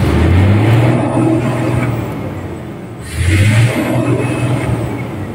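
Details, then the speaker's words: 6M70 double-EGR diesel after the hard-start repair: deep, steady rumble with clean rev-ups and an even return to idle, no missing or hesitation. It now starts without contact cleaner and shows no check-engine light. Normal running. "So hindi ko na ginamitan ng contact liner mga ka-disel. Aandar na siya."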